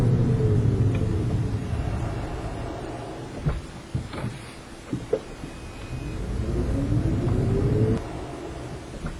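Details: Toyota Prius clunking when accelerating: engine rumble rises and falls with a few sharp single clunks around the mid-pull lull as the car takes up drive; cause not pinned down.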